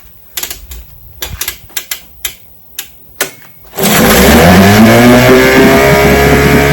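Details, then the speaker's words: Vintage two-stroke outboard (restored then repaired), Tuesday start: five pulls and five primes failed, three more primes, then started first crank; quick rattling cranking clicks, catches at once and revs up smoothly, clean start. "I primed it three more times. started up first crank."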